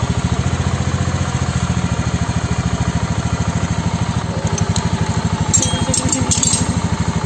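Steady, even thumping at a quick idle with no knocks or rattles riding on it; the little single sounds smooth and healthy.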